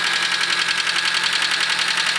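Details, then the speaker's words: 1983 Nissan Skyline RS Turbo DR30 4-door, original turbo FJ20 engine, low mileage, weak battery: light steady ticking at idle; owner suspects a problem in the head, a valve touching, engine noise noted on auction sheet. "The first thing you'll notice is the engine is making a tickety sound. I believe that comes from some problem in the head. Sounds like a valve is touching."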